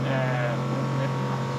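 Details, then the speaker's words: Sailboat watermaker running after at-sea repair: constant low pump hum, a sound as the cylinder's shift valve reverses direction, no leaks; normal watermaker operation. "taking sound you can hear is uh when the cylinder change direction there is a shift valve that make it when it goes to the end it change direction"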